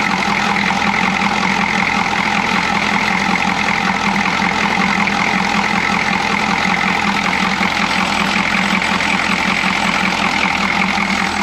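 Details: Chevy G20 van with 6.2L diesel and a grease-caked intake manifold, steady idle clatter with an uneven loping beat underneath; misfire, owner suspects a timing problem.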